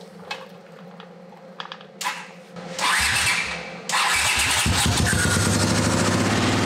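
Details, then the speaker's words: 1979 Honda CX500 twin, half-converted cafe racer, non-running: fires on fuel squirted in while cranking, runs lumpy and uneven on one cylinder; spark present on both, so fault judged fuel related, carbs suspected. "I didn't burn that other plug out. It would have it running on both cylinders. So it's obviously fuel related."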